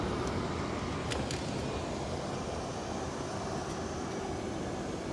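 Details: 2008 Mercedes S550 theft-recovery car with 77,000 miles at first start: low, steady, even idle with only a faint background hiss and no knocks, misses or rattles; sounds healthy.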